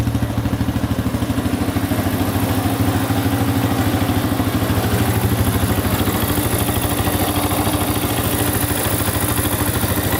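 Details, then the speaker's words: 2005 Honda CRF150F single-cylinder bike warming up: even putter at steady idle with no knocks or rattles; engine warming up cleanly and sounds healthy. "that should be warm enough let's see here that sounds pretty good"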